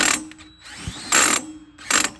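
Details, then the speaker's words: Drill used to try cranking a 10,000 watt generator's starter bolt: loud rasping clicks in three bursts with quieter whirring between, gearbox or clutch ratcheting under load; drill likely ruined. "seems I pretty much ruined my drill so I don't know"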